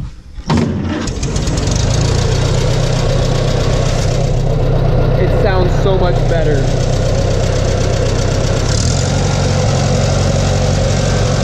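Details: Farmall 140 industrial tractor, revived after 10+ years sitting, after swapped plug wires 2 and 3 were corrected on the distributor cap: a brief crank, then a steady, even idle with regular beats and no misses; it runs much better and sounds good.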